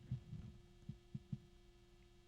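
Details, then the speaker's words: GamePower Skadi V2 360mm AIO pump; faint steady hum with soft low thumps, no gurgling: pump running normally and quietly. "It's so quiet. Now, if I put my ear right by it, sure, I can hear it. There's a bit of an electronic sound to it. A little bit of a clattering."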